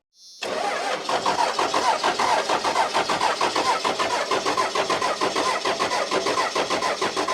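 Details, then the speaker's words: 1994 Dodge Cummins diesel, off the road for years: starter cranks steadily with rhythmic compression pulses but never fires; fuel system won't bleed, lift pump gives fuel only intermittently, air getting into the fuel. "We've been trying for like hours to get this thing to bleed, and it's getting late. It's like 7:30 right now, and so we're trying something else. I popped the bleeder off of here and pumped the lift pump, and sometimes it'll get fuel, sometimes it won't."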